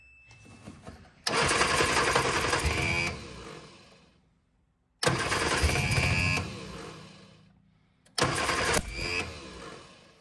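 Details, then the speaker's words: 1965 Innocenti S Spider, 1098cc engine, sat for years, first start attempts on jump pack with chokes: three cranking bursts of ragged firing that almost catches and dies, backfiring out exhaust; misfire from incorrect firing order. "I don't know why it's all of a sudden backfiring out the exhaust now"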